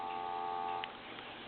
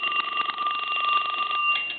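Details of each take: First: Western Electric 2554 mini wall telephone, Harvest Gold, during checkout on a line analyzer after intermittent line-seizing trouble: a steady, even hum of blended tones under a second, then drops out; normal dial tone. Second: Western Electric 2554 mini wall telephone, Harvest Gold, aged, rung from the line analyzer: rapid, uneven double-bell clatter with thin tones; bell switch was off and loose, ringer out of adjustment and needs readjusting.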